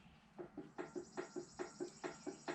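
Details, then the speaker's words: Dana 60 axle from a 2005 Super Duty during regearing: light, crisp metal clunks, about four a second, as the ring gear is rocked by hand, showing backlash. Preload is low; the spec is 0.006–0.010 in. "so I can tell we do have a little bit of a clash and that is how much this ring gear moves I'll be quiet so you can hear it"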